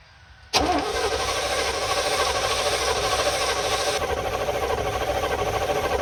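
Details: Field-find truck, unstarted for about 3–4 years, on its first start attempt: the starter turns the engine at a steady churning rate with no firing, a dry crank that never catches; good oil pressure shown afterward.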